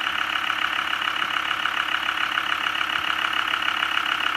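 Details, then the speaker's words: Land Rover Discovery 2 TD5 diesel idling in neutral: even, steady clatter with no stray ticking or misses; running smoothly. "All that power. Sounds beautiful, actually."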